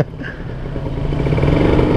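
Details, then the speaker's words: Kawasaki Ninja RR two-stroke pulling away and building revs after replacing the noisy stock chain and sprockets with a new thinner gear set: quiet, no chain slap or whir. "Saini lebih nyaman lah nih enak banget bunyinya"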